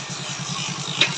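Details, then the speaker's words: Passion Pro single-cylinder idling, self-started: steady pulse with a light scraping kirr-kirr rattle that seems like the kick-starter, yet the kick spring is intact; gears also jam and won't reach neutral. Kick starter mechanism grinding. "Spring अगर टूटता है तब ये इस तरीके से आवाज आता है जब हमारी किक यानी कि नीचे लटकने लगता है उस समय ऐसी आवाज आता है अब क्या है यानी कि स्प्रिंग बिल्कुल टकाटक है और उसके बाद भी यानकी ऐसी साउंड आ रही है"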